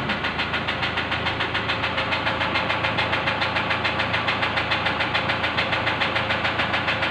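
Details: Engine at idle, sharp, even ticking knock about three and a half per second over steady idle; fuel injector knock suspected while checking injectors, cause not confirmed.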